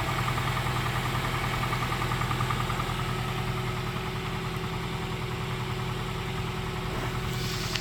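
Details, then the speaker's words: 2001 Toyota Tacoma Prerunner, about 220k miles, after repair of misfire code P0303 (new coil pack, gasket refitted): steady, even idle with no stumble or skip, no longer misfiring, running better than in a long time; normal idle. "oh yeah she's running good she haden't run this good in a long time"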